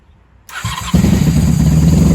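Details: 1994 Honda Magna 750 VF750C restarted after fuel line repair, airbox removed, unbaffled factory pipes: starter whirs briefly, engine catches and settles into steady, even low idle with no misses or odd noises; normal start and idle.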